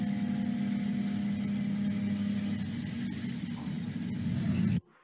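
A steady, even low hum of a milling cut with no high ringing squeal, a stable chatter-free cut.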